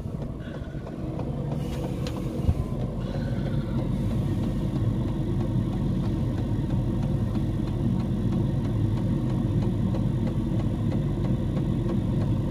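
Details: Diesel heater in a homemade fox box at maximum temperature, 87 °C at the heater pipe outlet: steady even low roar like a distant idling engine, no surging or rattles; running smoothly at maximum output.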